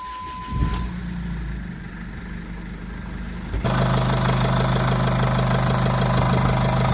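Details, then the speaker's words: Jeep Liberty CRD diesel, first start after full engine reassembly from the block: turns over, fires after about three seconds, settles into steady even diesel clatter; healthy idle. "purring, man. She's purring. Everything feels real good in here. Everything sounds good."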